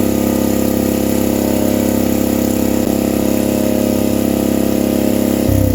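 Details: Vintage generator: hard, steady high hum above normal governed speed, dropping near the end; owner feels it runs too fast, and the generator gives no output, possibly a ground issue; cause unclear.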